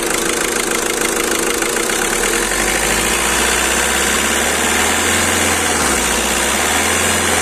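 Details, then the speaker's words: Skoda Rapid idling after repair of cylinder 2 injector circuit misfire, injector serviced and injector sensor replaced: even steady low drone with no stumble or missed beats, problem solved. "Okay हो गया था और हमने एक इसका injector का [संगीत] centre replace कर दिया और इसका प्रॉब्लम सॉल्व हो गया"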